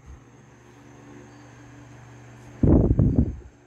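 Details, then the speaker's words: Vintage GE Vortalex 10" oscillating desk fan FM10V41, c.1949-1950, on high speed with the oscillator engaged: low even motor hum with no rubbing or rattle, a brief louder bump near the end; fast oscillation arc, otherwise running normally. "it has a rather fast oscillation Arc speed which I kind of like"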